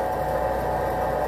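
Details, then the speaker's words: 2002 Chevrolet Silverado Duramax aftermarket lift pump, after repairing a melted fuse, a bad ground and the wiring harness: steady, even electric hum with a constant mid-pitched whine and no stutter; it runs faster than before and draws about 5 amps. "It's running faster now than it was before. I think that melted fuse and that bad ground was making some voltage drops to the pump."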